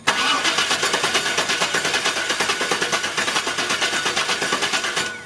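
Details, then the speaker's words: Chevy 350 Vortec Suburban, sat for years, fuel system replaced, after repairing exposed brittle wiring: even cranking about five compressions a second for five seconds, no firing; crank no-start, distributor next suspect. "as you guys had seen the sperman was still not starting even after fixing those wires that were exposed and brittle"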